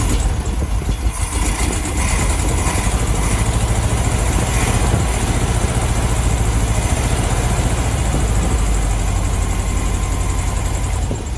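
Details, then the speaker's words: 1972 VW Beetle 1200 flat-four, first run in about two years, warming up; rough lumpy idle with dropped beat and backfire; cylinder two misfiring, spark plug looked mangled, owner plans new plugs and service. "so cylinder two this one's not firing properly what's the backfire so yeah cylinder two is not working i'm not firing properly"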